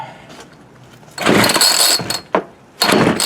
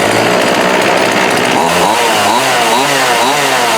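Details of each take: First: Homelite D3850B chainsaw with a new carburetor and fuel kit, cold start at about 19°F. It gives short raspy bursts that die between pulls, and is flooded with fuel coming out of the carb. Brief firing then stall. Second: Homelite D3850B 18" chainsaw restarted after a new carburetor, gaskets, fuel lines, filter and plug, with the cover and air filter still off: a sharp two-stroke buzz with quick blips holds a steady high rev. Normal running.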